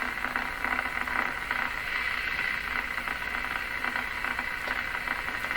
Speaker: See, that sounds like sparky stuff. I don't think it is though.